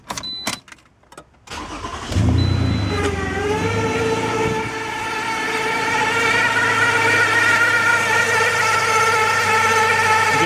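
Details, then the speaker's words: 2011 Toyota RAV4 V6 FWD that shifts poorly: after a few clicks the engine starts and a steady whine rides over the idle; automatic transmission whine, believed to come from the pump. "can hear the transmission whining um it doesn't shift very well I believe that wine is coming from the pump"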